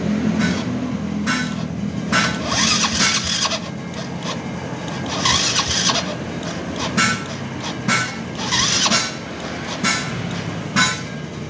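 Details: Yamaha Vega motorcycle with AC ignition whose electric starter only clicks; the weak battery drops to 8 V while cranking against a 10 V minimum. Repeated sluggish, slow cranking that never picks up speed. Starter voltage drop.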